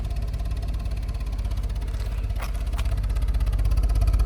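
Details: 2011 BMW 528i, N53 3.0 L I6 petrol, 272 hp, check engine light on: lumpy, uneven idle thumping about three times a second with a diesel-like chug; the engine is misfiring and shaking.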